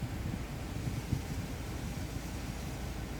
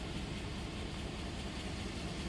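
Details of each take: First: 2008 Chevrolet Suburban at idle after a cylinder 4 misfire was fixed. It had been shaking hard, especially with the AC on. Now a low, even rumble with no stumbles; smooth idle, misfire resolved. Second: 2008 Chevrolet Suburban shaking badly and losing power, check engine light flashing, scanner code for cylinder 4: uneven idle with an irregular stumble in the low thump, beat dropping out now and then; cylinder 4 misfire.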